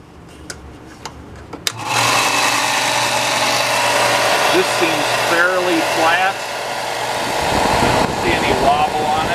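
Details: New Shop Fox W1855 benchtop belt sander at first switch-on in a home wood shop: the motor spins up quickly to an even, steady hum with a smooth belt whir and no knocks or rubbing. Belt tracking is good, so it runs healthy.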